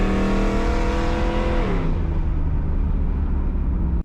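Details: Project Z28 V8 on the road after retuning and plug work, under hard and light throttle; steady rising drone then lift-off, earlier popping and misfiring gone; smooth acceleration without misfire.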